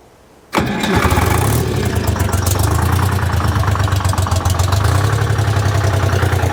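Cranks briefly, fires and settles into an even, steady two-stroke diesel chug with a strong low throb; it's running healthy.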